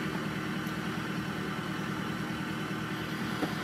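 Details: Chevy Tahoe V8 at idle with 14 misfire counts on cylinder 7, the rear cylinder on one bank: an uneven lope with a stumble about twice a second; one cylinder misfiring.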